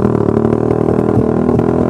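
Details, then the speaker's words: Suzuki Satria Fi150 stock-spec fuel-injected, racing exhaust (RS150 header, GP5 silencer) fitted without ECU remapping: choppy, popping, stumbling note at low revs; lean brebet stutter that eases at higher speed. "Ini udah ganti knalpot racing tanpa di mapping ecunya ini brebetnya Wih Gokil parah sih"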